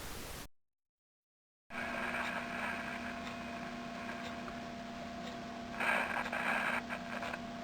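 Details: 1938 Philco 38-15 tube radio after all capacitors were replaced, at full volume on about 110 V. Only a faint steady hiss and low hum, no audio. The owner suspects the tubes, one with a broken grid cap.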